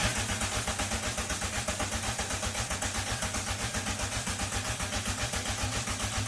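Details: Rebuilt VW Mk2 Golf GTI four-cylinder engine, about 90% assembled and timed, on its first start after sitting ten years. An even pulse of about four beats a second settles into a smooth, regular idle.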